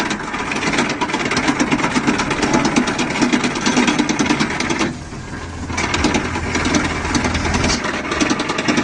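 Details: Swaraj 735 FE tractor, oil brake sound: steady diesel clatter with a rapid metallic chatter riding over it, something dragging or knocking around the brakes. Exact cause unclear.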